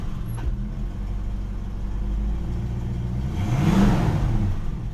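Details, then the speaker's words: 1973 Ford Maverick V8, manual, just started cold: short throttle blips sound choked and hesitant before catching; stumbles when cold, improves as it warms, owner cites timing and fueling issues. "the choking when i stomp on the gas well really the car is cold so i shouldn't really be doing that anyway it does get better as the car warms up"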